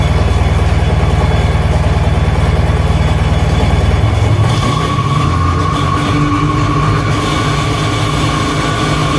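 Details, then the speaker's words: 1996 Sea-Doo GTX two-stroke after engine rebuild, first start of the day with a little choke, out of water at about 3000 rpm: steady rapid buzzing pulse, no misses or rattles; normal fast idle. "all right guys there you go she is running good sounds good like I said I only have 3 000 RPMs"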